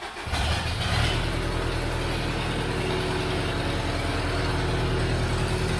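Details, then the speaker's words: 2001 Chevrolet Tracker diesel, RHZ engine, with power loss, EGR valve removed and MAF sensor unplugged: diesel catches and settles into a steady, slightly raised idle with loud even clatter; fast idle from the disconnections. "ela tá sem a válvula GR tá pessoal vai fazer um barulhinho maior tá E ela tá um pouco acelerada porque eu tô com ela sensor de massa de ar você Tá tudo desligado"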